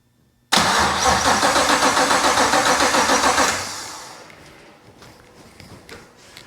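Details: BMW 635CSi (E24) with a swapped 6.2L Gen V LT1 at first start, no exhaust fitted: steady cranking at about four beats a second for three seconds with no firing. Cranks but won't start. Owner suspects a dying battery.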